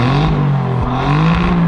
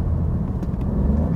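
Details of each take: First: 2019 Alfa Romeo Giulia Quadrifoglio revved while stationary, stepping through normal, dynamic and race modes; a deep throaty exhaust note blips up and down crisply and turns properly guttural only in race mode; healthy, strong-running engine. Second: Alfa Romeo Giulia Quadrifoglio with about 18,000 km, idling in neutral with a deep, lumpy, uneven, raspy exhaust throb, likened to a three-cylinder 1.0 TSI; cause unknown, possibly hard use.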